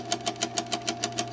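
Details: Insignia NS-IMN44BS4 nugget ice maker running with a little water in it: low steady hum with a sharp knock about six times a second, evenly spaced.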